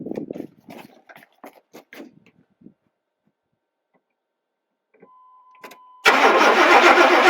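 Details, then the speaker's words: 1994 Chevy 1500 4x4, 350 small-block V8, automatic, revival attempt: after a pause, loud steady cranking of about four beats a second that never catches; turns over but won't start. "that didn't work when you're here by yourself it's hard to see if there was any"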